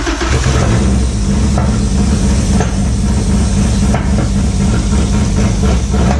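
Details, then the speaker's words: Acura EL (EK Civic sedan) with an H22 swap, first cold start after the swap, before the coolant was bled. It gives a loud, lumpy, uneven idle with sharp pops, "like a stage 8 cam", backfiring. Vacuum leaks were found at the intake and need tightening. "we started it up and it was fucking island like it had a stage 8 cam. It was like blop blop blop blop, blop backfiring like a son of a gun."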